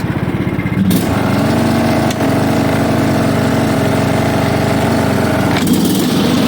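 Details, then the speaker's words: John Deere LA115 mower, 19.5hp Briggs and Stratton single-cylinder, running after drive belt and head gasket replacement, deck engaged: steady even running with no knocks or misses; normal running. "all right now everything's working as it should"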